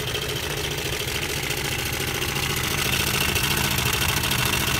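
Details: Honda Air Blade scooter idling after start-up: busy, rapid metallic chatter at steady speed, loud on one side of the engine, quieter on the other, louder when revved; slack cam chain from a failed cam chain tensioner.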